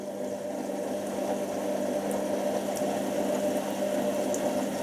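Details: Washing machine filling: steady low hum with mid-pitched tone under an even watery hiss; normal water fill.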